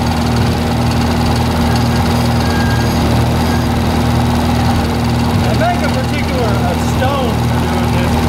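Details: 1948 Lincoln SA-200 welder engine, long unused, revived with little work, with a short stack with resonator: a steady, even low rumble with no knocks or misses. Normal, smooth, quiet idle.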